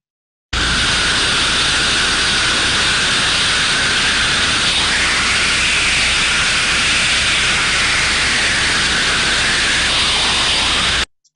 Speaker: so when we would sir then listen to the outlet of a trap that is failed we would probably expect to hear a high level of turbulence with no change in the sound this is the sort of sound we would pick up in that case